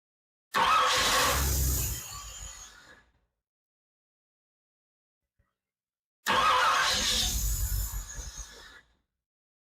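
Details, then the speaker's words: 1964 Ford Thunderbird FE 390 rebuilt with Edelbrock fuel injection, first start in over 40 years: two attempts, each cranks, fires briefly and sags away within about two seconds — hard start from lean fuel mixture. "okay something's going on not sure why we're not running I don't know if we need to move this one way or another"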